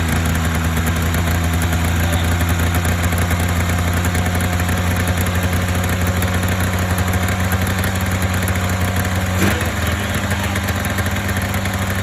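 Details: Polaris Indy 500 two-stroke twin snowmobile after used-parts top-end rebuild (head gasket failure, coolant intrusion, no compression on one cylinder): deep steady burble, one even pitch, no misfire, knock or hunting — normal idle.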